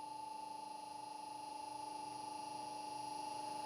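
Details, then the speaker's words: Mitsubishi FR-E800 inverter driving a motor at 50 Hz with the carrier frequency set to 15 kHz: quiet, even run with a soft hum and faint bearing whir, no switching whine. "Et nous allons régler la valeur maximale à 15 Khz Vous n’entendez pas du tout le moteur, vous n’entendez que"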